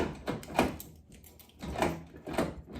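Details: 1995 Nissan D21 door lock after cleaning and lubricating the stuck cylinder: a few sharp, separate clicks as the key turns back and forth; the lock now latches and releases freely.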